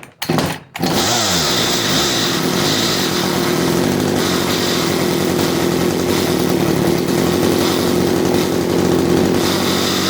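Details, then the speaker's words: CS310 chainsaw idling with the chain still spinning and whirring instead of stopping; setting the chain brake stalls the engine, which points to a clutch not disengaging, not a carburetor problem. "if you go and you throw that chain break on and it dies just like it did that is indicative of a clutch problem not a carburetor problem"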